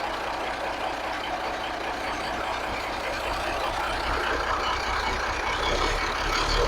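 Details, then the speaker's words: 1983 Kenworth cabover Cat diesel after setting the timing and adjusting the overhead, possibly running low on fuel: a steady, even idle with a smooth low rumble and no knocks or misses; sounds fixed. "I think it's running out of fuel right now. But it sounds like maybe I fixed it. I mean, it sounds pretty good, doesn't it?"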